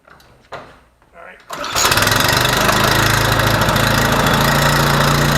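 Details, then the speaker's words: Troy-Bilt 2800 psi pressure washer that poured gas from the carburetor, after a mini carburetor clean of gummed-up old gasoline: after a few pulls it catches and settles into a steady, even drone with no flooding, hunting or stumbling. "look it's not flooding anymore no more gas running out so this Pope should have oil in it so we should be able to start it up"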